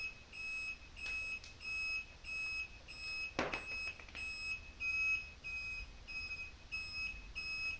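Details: Replacement blinker relay on a bobber motorcycle, taped over with electrical tape to quiet it; soft, high-pitched beeps at an even pace of roughly 90 a minute; relay working normally.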